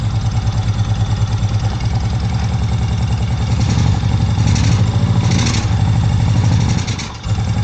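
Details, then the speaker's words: Honda PC800 Pacific Coast that sat for years, first run after carburetor cleaning and refitting, plugs unchecked: uneven, lumpy idle with wandering rhythm, then sagging as if about to stall; wants to choke out, owner suspects the plugs. "So wants to choke out a little bit. I haven't checked these plugs or anything. These plugs could be completely trash."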